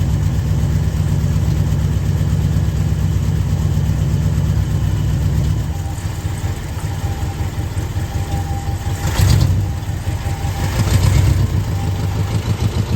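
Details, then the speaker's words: 1973 Ford F100 at idle in the shop after new spark plugs and a timing adjustment, still needing new plug wires. Low idle stumbles and surges with uneven loping beats and a couple of revs; rough running, likely misfiring. "So, we pulled it in the shop now. It kind of runs. It needs some plug wires to help it out, but I got some new"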